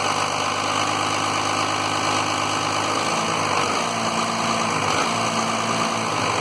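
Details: 1993 Dodge Cummins diesel with low power idles roughly, stumbling and sagging every few seconds as if about to die and periodically cutting out, with fuel pressure shown; owner suspects the lift pump, unconfirmed.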